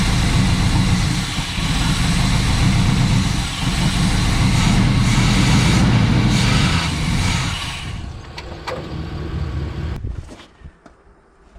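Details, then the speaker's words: 1978 Pontiac Trans Am 400 V8 four-speed, first start in years after retarding distributor timing: deep even idle rumble with no knocks, misses or rattles, then winds down and stops; seems a good motor. "have to say that's uh that seems to be a good motor um there is nothing crazy going on"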